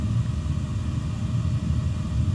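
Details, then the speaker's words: Commercial oil boiler burner, comparison unit, lighting straight away, apparently on low flame, light solid red; deep steady roar with even flutter, no surging; burner lit and running normally. "red flashing light on the top there sounds like it lit straight away that light's now solid red"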